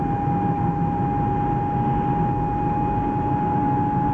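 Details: BMW E36 with automatic gearbox driving cold: steady high one-pitch whine over road rumble; first blamed on the transmission, but caused by a failed driveshaft center bearing under six months old.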